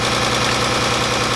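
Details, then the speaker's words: The 300 after belt work, with coil packs being pulled one by one: still an uneven, lumpy, stumbling idle; misfire unchanged. "doesn't sound great something's going on here this is this is ridiculous"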